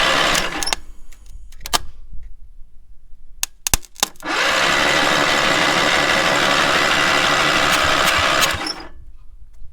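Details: Two-cylinder engine on a free trailer-mounted man lift, water blown out of a cylinder after water in intake; fast even starter churning about four beats a second for several seconds, spins freely but never fires.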